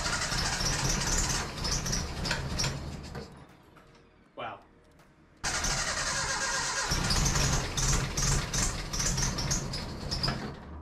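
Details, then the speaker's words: 1968 Datsun 2000 Roadster, first startup after troubleshooting and cleaning, given a little gas: cranks, catches briefly and fades, then fires again and runs with an uneven, stumbling beat; rough running but much improved. "anyone who can hear that clip can tell that we're definitely looking a lot better than we were"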